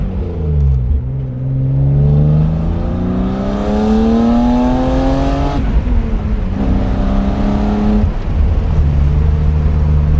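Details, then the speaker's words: 1995 BMW E36 M3, naturally aspirated, hard acceleration: engine pitch climbs smoothly and strongly through each gear with clean upshifts and no stumble or flat spot, pulling healthily to high revs; the car pulls strong, normal acceleration. "But yeah, it pulls good, pulls strong."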